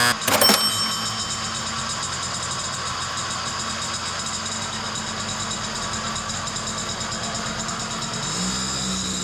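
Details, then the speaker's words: Budget small motorbike test ride after clutch repair and electrical work. It fires straight up and holds a steady, even buzz that picks up cleanly. It pulls hard in first and second gear, though worn bearings may still be a concern. "[Music] she runs great she pulls hard first and second gear brakes are working great lights are amazing"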